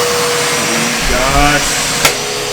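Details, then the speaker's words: Bissell CleanView upright vacuum model 3536 after repair with a replacement used belt, brush roll spinning and suction working: steady motor roar with a brief rising pitch as it settles, no slapping or squeal; normal running. "We've got a brush spinning. We've got a new belt on, used belt, but new for this machine. We've got suction coming through."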